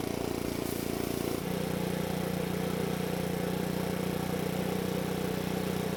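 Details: Makita four-stroke handheld leaf blower, previously would not start (lost carb part), test-run after oil change: engine shifts speed once between idle and full throttle, then holds a smooth even hum without misses or rattles. Quiet and healthy.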